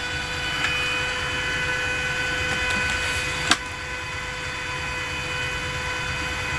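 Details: Inverter welding machine after shunt and 1K resistor replacement, idling: steady airy fan rush with fixed high whining tones, no crackle or buzz; output about 84 V, normal.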